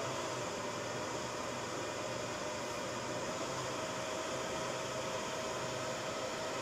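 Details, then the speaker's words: Rackmount home-lab NAS server at power-up: loud, steady rushing air with a faint high tone as the fans run flat out. This is normal startup noise; the fans then idle down. "And you can hear, so it is very, usually when it fires up, it is noisy. And then it kind of idles down."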